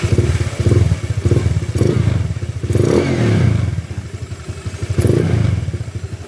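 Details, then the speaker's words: Honda Click 150i scooter, 62mm loaded engine returned to stock, valves set 0.10 intake/0.20 exhaust, stock throttle body; throttle blips give crisp even exhaust pulses, no clatter, earlier loud ticking gone, note altered by the pipe: normal revving. "Malayo na doon sa kaninang Malagatik 73. Medyo iba yung tunugan niya mga sir dahil sa pipe."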